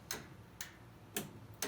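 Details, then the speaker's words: 20-year-old Roper electric dryer RES7646KQ: four crisp start-switch clicks with no motor hum, so the dryer won't start. Pressing the door switch resets the click. Owner suspects timer part WP8299765, unconfirmed. "clicking but no starting and I can reset the click of that switch after the first time by clicking the door closed switch and that allows that this cycle switch to cook again"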